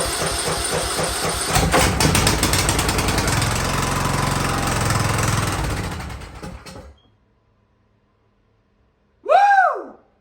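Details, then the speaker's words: Free Ariens riding mower that sat at least 2 years, first start: small engine catches and runs with a steady, slightly uneven chug for about six seconds, then shuts off; it runs. "it runs oh man ah i wasn't expecting that oh man oh man that is that's something else"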